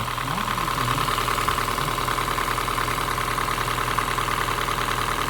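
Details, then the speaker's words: Honda Fit GP5 hybrid at idle, warmed up (worse when cold): even idle with steady light ticking about three times a second from the top end; valve clearances too loose, valve adjustment planned. "Ну ну ничего страшного есть да щелчки такие щёлкает есть такое Но она как бы она холодная Как работает ещё хуже сейчас прогретый на холодна ещё хуже счи Да ещё хуже Ну это клапана точно"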